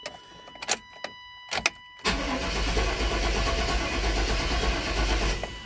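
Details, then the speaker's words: Older truck with a crank-no-start complaint and a recently replaced water pump, which another shop suspected was a fuel pump control module: a few clicks, then about four seconds of steady cranking that never catches. The scan tool failed to read codes, the fuel pump primes, and fuel smell is present. "Well, it's a crank no start. He said they think that it may be a fuel pump control module or something."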